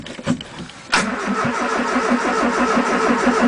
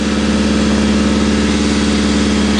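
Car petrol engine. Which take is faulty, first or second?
first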